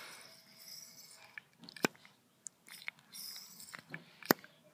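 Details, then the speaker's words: Nitro RC engine, glow plug in the head, flywheel turned by hand against a thumb on the head: two sharp pops a few seconds apart, indicating good compression. "how do you know if your engine has compression you rotate the flywheel so you can hear it that popping noise did you hear it"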